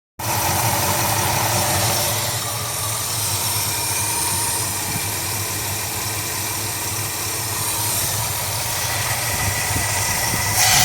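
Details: 1976 Mercury Marquis 400 V8 with a new long block, 2150 carb and 12° base timing, idling with an uneven, loping beat, stumbling about every second; low manifold vacuum; compression and leakdown tests found one low cylinder.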